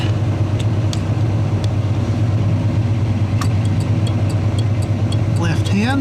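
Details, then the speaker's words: '81 Chevy truck, engine running for full voltage: factory Tung-Sol 224 thermal flasher put back in, left-hand turn; crisp even ticking about 100 a minute over steady idle; works normally. "here comes number one and that one's just okay it [Music] works right hand very good and we'll put the factory one back"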